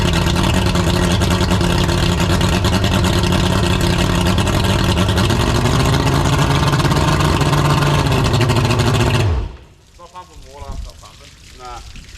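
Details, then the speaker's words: Boat after swap to a 200 HP outboard, first start, needing a service: deep, steady drone holding an even rhythm about nine seconds before shutting off; runs cleanly. "it runs [Laughter] this is good it runs mostly"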